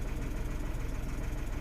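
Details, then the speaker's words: 2016 Renault Twingo 1.0 three-cylinder with the spanner light on and components still disconnected. A low, lumpy idle with a slightly uneven pulse; it runs a little rough, with no codes or misfires showing. "so the car is running a little bit rough at the moment but I want to sort these out before I put everything back in"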